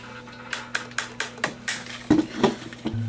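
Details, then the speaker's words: Cranking the GoPower Flashlight radio's cheap plastic hand crank: sharp clicks about every quarter second, then dull knocks, as the crank arm hits the flashlight body. "because you have it going against the flashlight body."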